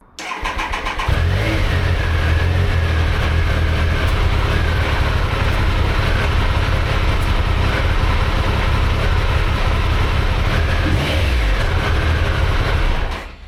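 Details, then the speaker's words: Triumph Sprint 955, running after years off the road, with compression restored by new valve shims: it runs with an uneven rumbling beat and occasional pops. Missing or broken idle control valve pipes to the intake are suspected, not confirmed. "Now, it doesn't sound great. It's popping a little bit, and it's got a pop up here somewhere."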